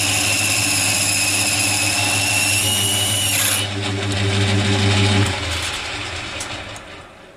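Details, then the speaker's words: Boring a face mill on a lathe: a steady high singing squeal during the cut that stops abruptly partway; poor surface finish and the tool sounds like it is rubbing rather than cutting, tool orientation to be changed; cause not confirmed. "I'm not really happy with the surface finish that it's giving. It sounds like it's rubbing."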